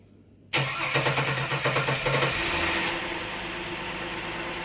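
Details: Holden VX Calais engine freshly reinstalled, first start: starter whirrs briefly, then the engine catches and settles into a steady, even idle with no knocks or misses.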